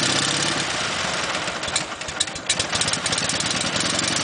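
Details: Dnepr motorcycle cold start using a six-count tickle of the carburetor float bowl, ignition on and throttle slightly open: a kick, then the engine catches with uneven popping that settles into a brisk, steady twin-cylinder beat; normal cold start and idle.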